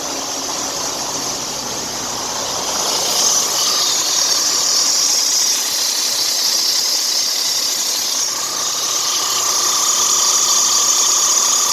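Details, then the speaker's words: Freightliner Cascadia DD13/DD15/DD16 diesel running with a steady high hiss and faint whine from the accessory belt. A worn belt tensioner is pulling the belt to one side, and the tensioner needs replacement. "So for all of you that wonder how the belt sounds when it's going bad, this is how it sounds. The tensioner is actually pulling the belt to one side, to this side, and that's when the belt is going bad."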